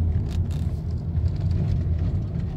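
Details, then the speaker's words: 2009 Lexus GS350 test drive on the same rough road, recorded in the cabin, after fixing a rattle that seemed to come from the underbody but was actually inside. A loose bolt was found under the removed cover and tightened. Now a quiet, even road rumble with no rattle. "소리가 지금 안 나고 있습니다 이렇게 해서 잡았습니다"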